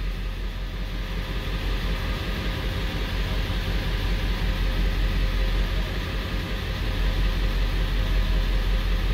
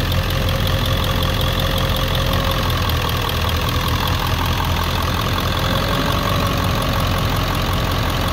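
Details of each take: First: 1999 Ford 7.3L Powerstroke diesel pickup with P1280 startup code: deep, even idle with a steady low rumble and no misses or knocks after cranking, with good readings, no service engine soon light or DTCs; ICP sensor, about three weeks old, judged lazy. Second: 1999 Ford 7.3L Powerstroke diesel pickup logging P1280 at startup, ICP sensor unplugged: steady idle with a slightly hunting clatter as the PCM holds about 750 rpm using the IPR valve alone; service engine soon light comes on.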